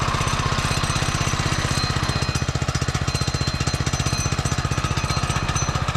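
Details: Barn-found Subaru Hyper Fox (Manco) go-kart engine, carb refitted, air filter assembly missing, on choke: quick, even exhaust pops at a steady rate with no misses or knocks; running normally.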